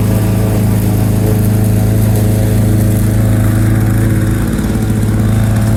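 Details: 1987 Lawn-Boy 8073B two-stroke mower, first run after sitting almost a year, new greased capstan rollers fitted: strong steady drone, even firing, no misses or surging; hard starting but runs fine.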